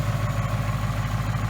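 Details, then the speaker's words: 2018 Mustang GT 5.0 with new forged-piston engine, about 300 miles on break-in oil, near-cold idle at 94°F ambient: quick light ticking about seven a second over steady low idle; harmless forged piston slap fading when warm. "it's not a bad noise it's just a forged piston nose now it's not exactly cold if you look it's 94 degrees"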